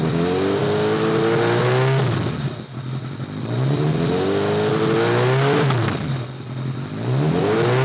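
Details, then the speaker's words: 2002 Kawasaki ZRX1200R with Keihin CVK carbs, sat a while, started with enricher on: repeated clean blips with faint pops as the throttle closes; runs better but deceleration popping remains, cause not yet confirmed. "runs a lot better there's no question about it she still has a little bit of diesel or when you let off the throttle Pop"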